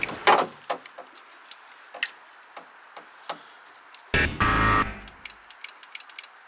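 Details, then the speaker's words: VW Polo 6N2 GTI 20V turbo 4WD, door card off, window motor on driver's side: scattered sharp clicks about every half second, short buzz, motor not turning; owner unsure if seized. Window motor clicking without moving. "So I'm not sure if you can hear it on camera, but on this one I get a clicking from this motor, so I'm not sure if it's seized or it actually works"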